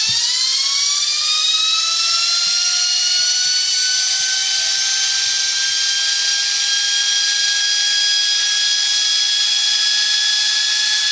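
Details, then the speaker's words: 9-inch GE DC series motor with air-cooled VW transaxle adaptor, bench-tested on 12 volts: steady high whine rising smoothly as it spins up, then holding even, no knocks; normal running. "it is running. Got a high pitch. Brush the speed in a little bit better."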